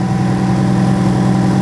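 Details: Car started by booster pack, then disconnected; voltmeter on battery reads 14.5 V alternator output, good charging. Even, steady low hum with no knocks, misses or whine; engine idling smoothly, charging side normal.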